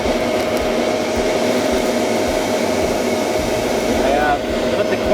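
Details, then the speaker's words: Carver Mariner 350 boat, newly installed hard-wired bilge blower replacing a failed one with sloppy double butt connectors: constant smooth motor hum with airy rush, no rattle, running fine. "so this is the old bilge blower and you can hear the hum of the new bilge blower"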